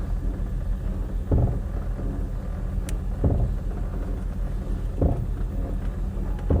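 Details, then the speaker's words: 1967 Dodge Dart 270 driving and braking with the brake held down: a dull thump repeats about every 1.8 seconds under road rumble, felt at the left front. Front brake noise, cause unknown. "actually feel it too it's in the left front I'm actually holding the brake down I never let go it goes away push the brake"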